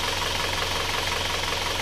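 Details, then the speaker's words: Isuzu Panther diesel after repair of a severely sunken (top-only) cylinder 4 liner, which was reversed, plus new piston rings: smooth, even idle clatter with no misses or heavy knock; temperature 71°; normal diesel idle. "Suaranya sangat istimewa empuk karena ini segernya baru sayanya baru resecker baru hanya aliran saja yang dibalik"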